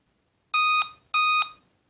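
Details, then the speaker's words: Laptop at power-on gives two identical shrill beeps and does not turn on, shutting off automatically; memory error code, "memory was detected on previous boot." "if I turn on my laptop and it is beeping like this so how to troubleshoot this issue you can see it is beeping and it is beeping two time memory was detected on previous boot okay so this is the error"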